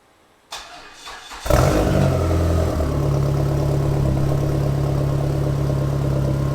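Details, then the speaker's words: Dodge SRT4 on its first start after a Vibrant Ultra Quiet Resonator was installed, on a cold day. The starter whirs briefly, then the engine settles into a steady, even idle with a smooth deep exhaust and no rattle. Sounds almost the same as the old muffler. "sounds all right. I would say it sounds almost the same as the last muffler."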